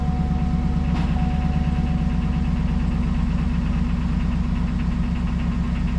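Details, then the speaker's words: GMC Denali LS V8 cold start, long oil pickup tube makes oil pressure slow to build: light quick ticking over the steady idle rumble. "And you can hear at least this one has a noisy lifter. So, I have to wait for it to uh warm up before I move it."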